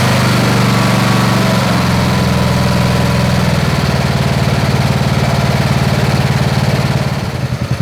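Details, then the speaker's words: Snapper SR-Series mower with 10HP Briggs & Stratton single-cylinder engine, stored 10 years, after carburetor work and fresh treated fuel: steady, even beat at fast idle before winding down, no stumbles; running good and waking up. "All right, so she's running good. All right, she's starting to wake up."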